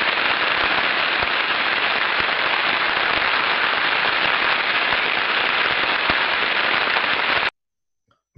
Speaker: typiquement pour vous faire écouter un effet de cavitation sur une pompe ce que la personne entend dans le casier où tu ressembles à ceux ci